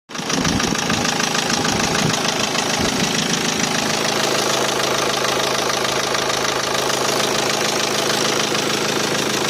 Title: Nissan NP200 1.5dci K9K engine knocking sound ... please help